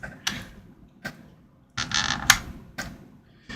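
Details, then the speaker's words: 2nd gen Apple HomePod after logic board short repair, still no audio output: a few soft irregular ticks and pops in quiet room as it wakes and sleeps; normal power-state clicking. "So, yeah. They click and tick a little bit, waking up and going to sleep."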